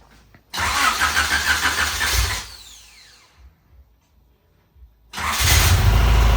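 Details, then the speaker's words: 1990 Honda CRX Si B16A3 petrol engine after cylinder 4 filled with fuel from a faulty injector (injector replaced): runs, shuts down with falling whine, restarts with rough rhythmic knock; owner believes bottom end is trashed. "you can hear the motor just knocking away so since that motor's pretty much going to be no good I have trashed the bottom end of this B16"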